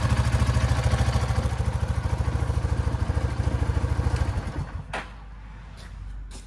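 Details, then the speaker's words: Coleman UT 400 after fixing a loose exhaust piece that was making a loud noise; even, steady putter with no popping or exhaust leak blowing, then a clean shutdown; sounds as it should. "yep that was it that's how she's supposed to sound"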